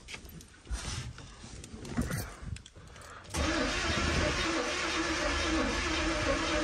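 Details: Box Chevy Caprice with a battery, distributor needing timing: long steady starter whir with no firing or pickup; cranks but won't catch.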